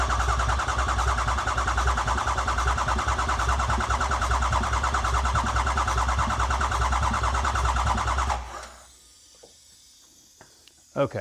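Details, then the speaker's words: 2008 Ford E350 diesel van, engine mostly rebuilt, first start attempt after cycling glow plugs, fuel pump running, ICP sensor unplugged: steady fast cranking about three turns a second without catching, battery getting low; cranks but won't start, pressures to be checked. "so we cranked it for a little while there. You hear the battery start getting low. So, what we're going to do is we're going to give the starter a break here."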